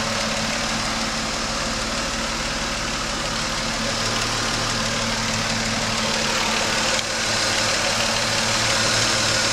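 Even idle with a regular knock of about three per second riding on top and a faint hiss behind it; source not yet pinned down. Cause suspected, not confirmed.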